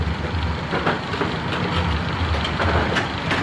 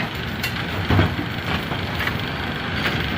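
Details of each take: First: AMF A2 bowling pinsetter, lane 2, after repositioning the cycle linkage components and the front X pin: steady mechanical churning with clacks and thumps. It cycles and properly stops at 180° to wait for pins; a normal cycle. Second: A2 bowling pinsetter with an empty deck: continuous clattering with thumps about once a second and no pause, because it does not stop at 180° to wait for pins; the cycle linkage X pin had broken and was backing out, and the interlock release link is stuck.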